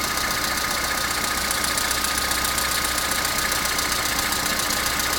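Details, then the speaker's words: Opel Astra G 1.4 16-valve on a morning cold start: steady idle with a fast, fairly even metallic rattle, three or four per second, seemingly from the back; it runs more or less but rattles again, which is new, source unclear. "Вроде работает более-менее, но все равно тарахтит. Раньше такого не было."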